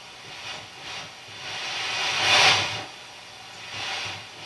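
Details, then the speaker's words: Mackie SR24-4 mixer pots being serviced with contact-cleaner spray: soft hissy swells rise and fall as the knob turns, no hum. Some pots are quiet, this one still a little noisy; a scratchy potentiometer. "here's kiss not a lot of noise from the pot that one's still a little noisy it's pretty good little noise on that"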